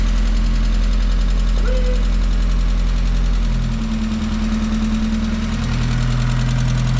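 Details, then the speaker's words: 1994 Mazda Miata, first start after sitting 3.5–4 months and after a failed starter: steady idle with a faint regular valvetrain tapping. The owner expects the tick to go away; suspected, not confirmed. "Oh yeah. That old ticking will go away. This thing's been sitting for about 3 and 1/2, 4 months."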